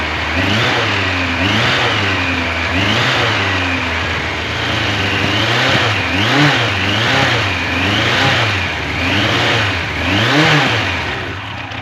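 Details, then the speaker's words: 1986 Yamaha FJ1200, first start after years non-running: engine blips up and settles back roughly every two seconds, pulling cleanly and evenly with no knocks or rattles; holds idle fine, sounds healthy. "Uh, the engine sounds good. I don't hear any scary noises from the motor. It did hold an idle fine once it was up to temperature and fully warmed up."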